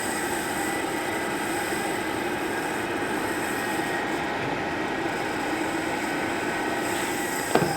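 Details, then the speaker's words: Old RadonAway RP145C radon fan, pulled from a house a couple months earlier, running with airflow still present: steady airy rush with thin constant squealing from worn bearings getting loud, a fan still working but starting to fail. "So, we still have air flow. So, it's still working, but those bearings are starting to get loud."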